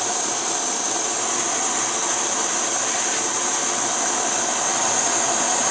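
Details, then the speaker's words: MSR Whisperlite Universal stove about wide open, sound compared to Primus Omni Fuel: steady even roar with thin high whistle on top, no sputtering; normal burner roar at full flame. "That's about wide open."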